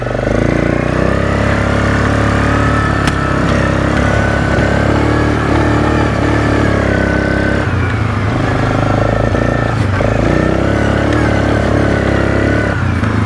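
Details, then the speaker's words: 2007 Suzuki KingQuad 700 that had died, fixed with a new spark plug replacing a fouled one: strong, steady single-cylinder drone in high gear, bald tyres spinning, pulling cleanly with no misses; runs healthy under load. "she spins up good cuz there ain't no tread on the tires this is in high gear too it just slides no problem this thing runs really really well now"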